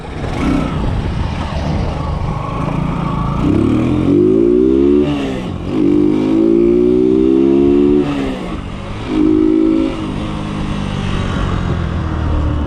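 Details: Kawasaki Boxer 150 converted to a 4-pin CDI after the original CDI failed: single-cylinder engine pulls cleanly through repeated throttle blips, pitch rising and falling smoothly with no misses or stumbles; runs like stock.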